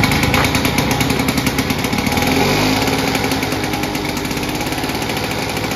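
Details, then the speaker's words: Victa two-stroke lawnmower with G4 carburetor after pop-up valve RPM adjustment, tachometer fitted: steady high buzzing run settling to just over 3300 rpm governed speed; normal governed speed. "As you saw here, when we adjusted that pop-up valve to that C position, it's come down nicely to just over the 3300 RPM."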